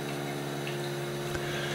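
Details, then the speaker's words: Osminion Slim Mix reverse-osmosis filter, about 4 bar line pressure, inlet valve slowly closed: buzzing pump hum turns slightly strained with a light water trickle, different from fully open; pump starved by restricted flow, pressure unchanged. "Pour avoir une idée de ce qui se passe sur l'installation, je ferme lentement la vanne d'alimentation. Je peux déjà entendre que la pompe fait un bruit différent, qu'au début, lorsque la vanne est complètement ouverte."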